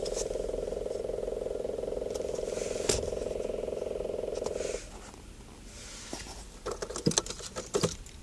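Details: Car whose gauges failed for a split second at startup the same day: steady mid-pitched buzz with a fast pulse from the dash for about five seconds, then it cuts out; cause unknown.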